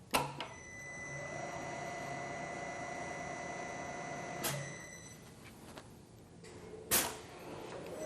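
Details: Rottler boring bar boring an engine cylinder to 4.025 inches completely through the bottom, school machine shop: steady whirring cut with a thin high ring that drops away as the cutter breaks through; normal boring.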